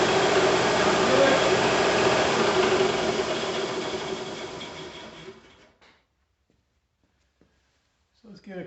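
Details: Bigger shop air compressor, motor newly grounded to the frame, first start with no regulator fitted: even, rhythmic chugging at about four strokes a second, then a smooth coast-down after switch-off; healthy normal running.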